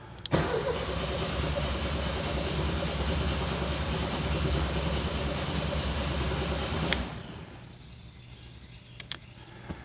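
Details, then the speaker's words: 1979 VW Super Beetle convertible, fuel-injected, off the road 8 years with fire damage: about seven seconds of steady cranking with even compression beats but no start while trying to build fuel pressure; fuel delivery suspected. "going to try cranking it some more see if I can build pressure and then I'll pop a line off in the back and see if we have pressure actually back there"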